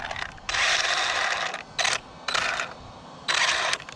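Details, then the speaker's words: Traxxas Slash 4x4 RC truck on 3S, after jumping: harsh scraping, grating bursts that come and go with the throttle; abnormal drivetrain noise that the owner suspects is the front differential gears, not confirmed. "Ooh, something's not good. Something's not happy. Yeah, something's not happy. It almost sounds like front diff."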